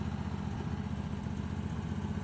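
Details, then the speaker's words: Vintage ARGO 6x6 Vanguard II amphibious barn find, long neglected and driven once by the last owner, now running on a swapped non-stock Honda engine: steady, even low rumble with a smooth idle beat, no knocks or misses, normal idle. "Oh, and this years, the last owner only had it driving once. We got her running here"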